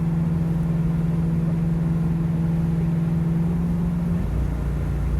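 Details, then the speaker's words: 1969 Ford Mustang with C4 automatic cruising at part throttle around 50–55 mph: steady drone, then pitch shifts abruptly as it downshifts to second unasked; cause unknown. "so down to Second for absolutely no reason which is driving me nuts I'm at partial throttle I'm doing 50 m an hour 55 um and yeah it'll just downshift a second for absolutely no reason"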